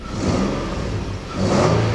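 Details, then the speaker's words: 2005 Nissan Pathfinder 4.0, about 154,000 miles, after new spark plugs, coils, valve cover and plenum gasket and clearing codes for a misfire: engine revs cleanly twice and settles smoothly, no stumble; healthy throttle response. "so there we go good response easy"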